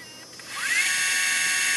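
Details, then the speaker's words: Sony HVR-M10U HDV tape deck after tape mechanism repair, fast forward on battery: motor whine climbs quickly then holds a clean steady high pitch with no grinding, ticking or catching; runs smoothly. "So, as you got the idea, there is no foreign noises, and just make sure it's off."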